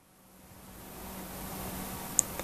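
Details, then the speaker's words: Xilence 120mm blue LED case fan on a bench test, rated 21 dB: a very faint, smooth airy hiss with a slight steady hum and no ticking or grinding; the quietest of three fans tested, running normally. "and that is the quietest of the three by a long chalk rated at 21 DB like the Spy fan but it's quieter"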